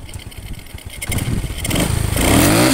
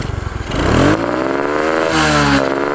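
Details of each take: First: Honda Supra X 125/Karisma with the charging fuse removed and the red charging wires connected directly: Idle picks up smoothly into a clean, rising rev with no stumble or bog. Normal revving. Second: Supra X 125 with carburetor: repeated throttle blips where revs climb, then stumble with a rough, hollow "ngok" bog; misfire under throttle.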